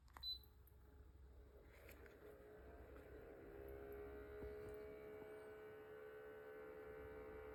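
Quiet, steady low hum with a thin tone riding on top that holds while it runs; an unusual noise of unknown cause.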